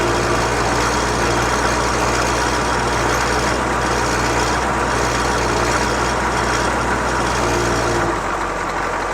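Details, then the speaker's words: CUCV 6.2/6.5 diesel warmed up, fast idle solenoid just released: steady even diesel clatter, earlier surging, smoke and rattle gone, engine smooth and doesn't die; a cylinder seemed not fully firing before smoothing out. "there fast idle is off engine smooth as can be that rattle is gone but it didn't die"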